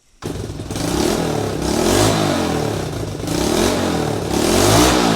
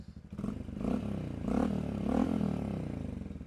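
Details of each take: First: Honda CT90 fitted with a 125cc Honda ATC engine, running the stock muffler that has a few holes in it; revved up and down with a loud raspy blat and hissy edge on each rise, an exhaust leak from the holed muffler. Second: 2024 Honda model, warm after choke start; small single revving smoothly with a steady, throaty exhaust pulse, refined yet throaty, no knocks or rattles; a normal exhaust note.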